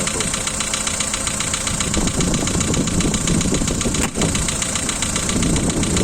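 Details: 2012 Volkswagen Polo 1.6 CFNA engine, cold start at idle: quick, fairly even ticking near four per second over the engine hum, one lifter clattering loudly and a couple slightly; noisy hydraulic lifters.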